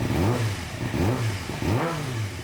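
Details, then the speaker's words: 2006–2007 Suzuki GSX-R 600, likely a 2007, left outside for months with a cutting-out, loss-of-power problem. Warmed to 130 degrees, F1 light gone, cutting out fixed by a servo. Three quick throttle blips rise and fall cleanly without cutting out. Clean revving, with a slight remaining bug. "so we still got a little bug but uh definitely not cutting out like it was so that servo uh fixed it there"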